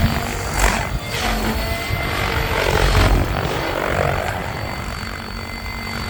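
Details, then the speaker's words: Nitro RC helicopter spooling up: rotor and drive whine surges unevenly with a chattering flutter under load; the drive belt is too loose and slipping, and needs replacing before it flies again. "strategy you hear the belt slipping yeah it's too loose i gotta replace it before i fly it again"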